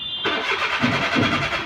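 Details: Maruti Suzuki Alto; starter spins the engine with a steady, pulsing churn but it never catches: cranks but won't start.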